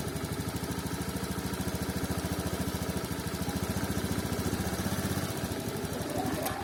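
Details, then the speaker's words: 2019 Honda Scoopy fuel-injected scooter stumbling at low rpm despite ECM and TP reset and cleaned throttle body: uneven idle putter faltering and surging as throttle opens; worn, flattened TPS plate leaves gap, giving discontinuous movement. "sebagian sensor TPS itu ada masalah di bagian sini di mana platnya itu sudah gepeng jadi ada space antara total valvenya yang sini dengan sensornya yang mengakibatkan pergerakannya tidak berkesinambungan"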